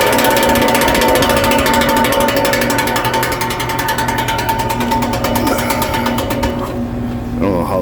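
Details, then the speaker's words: HVAC condenser fan after switching to head pressure control with a sleeve-bearing fan setting. A fast ticking clatter of about four hits a second over the fan hum, then winding down, comes from the blades hitting loose wires left after the zip ties were cut. "wires got in the mix ah because i cut the zip ties"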